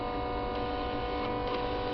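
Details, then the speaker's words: Bench fuel rail test with the injector fired at full pressure, fuel pressure regulator boosted by blowing into it; light quick ticking over steady pump hum, no misses. No difference from lower pressure, normal injector clicking. "I can't tell any difference at all they've probably bloated with fuel but hard to say"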